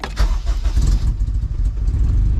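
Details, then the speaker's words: Rebuilt junkyard K24A2 in a CRX, restarted after the idle stop screw was adjusted, with no foot on the pedal. Brief crank, then a low, steady rumble that holds on its own; normal idle. "hey it idle baby look at that you see my foot you guys see my foot is right here"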